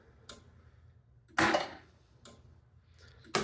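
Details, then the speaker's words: Elvira and the Party Monsters pinball machine in coil test mode after repair: sharp, clean solenoid snaps about once a second with a healthy knocker; all coils working except the middle drop target, which awaits a part. "She's got a very healthy knocker. Yeah, I hear him. So that was it. They're all working."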